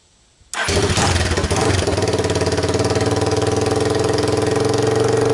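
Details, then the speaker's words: 2002 Yamaha Warrior 350 ATV, choke on, cold start with camera on tripod: catches instantly into a loud, raw, popping single-cylinder bark from an unmuffled straight-pipe exhaust, which draws neighbor complaints. "so that's what it sounds like with the straight pipe exhaust and that's what gets me complaints from a neighbor"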